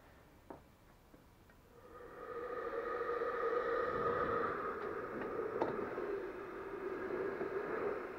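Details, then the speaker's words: Blower after repair with different replacement bearings (small front, big rear), run at 10 volts rather than full power, port blocked by hand to cut wind noise; soft steady hum with faint even whine, no grinding or rumble; quiet bearings. "it's hard covering it with one hand but yeah that's basically you don't hear that much that is just well the noise from the bearings and whatever you hear from the bottom"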